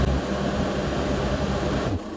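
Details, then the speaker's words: VW Golf Plus 1.9 TDI 90bhp diesel after fuel filter and pump replacement, held at constant revs to check for earlier fuel-starvation dropouts: even constant drone, no stumbles or cutting out; fault fixed. "don't die idle again it's not cutting out so that folks 100 fix"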